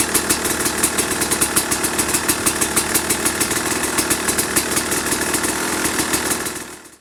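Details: 2005 Kawasaki KX250 two-stroke, first fire-up after rebuild (low compression; piston shot, questionable plating, crank play), started first kick: crisp even idle with sharp throttle blips rising and settling cleanly; engine runs healthy and strong.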